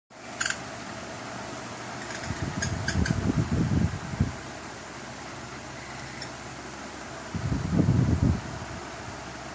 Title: Electric fan making weird noises